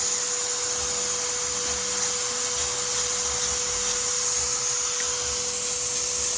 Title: Vacuum exhaust leak